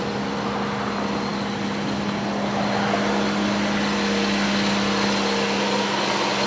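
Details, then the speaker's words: 1985 Cadillac Cimarron, base 2.0L four-cylinder, 43,000 original miles, cold start; steady even hum held at about 2100 rpm fast idle, no hunting or stumbling, no smoke just steam, idle starting to come down as it warms. "this idle will come way down once it warms up attack works titling at 2100 rpm right"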